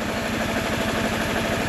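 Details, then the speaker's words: Mercedes W124 220CE after a crankshaft position sensor replacement: lumpy, clattery idle with the engine visibly shaking; possibly misfiring, and the owner suspects coils or swapped HT leads; it later cuts out when warm. "oh okay it's idling but really nastily that is nasty idle i can see the engine shaking so i don't know if she's misfiring or what"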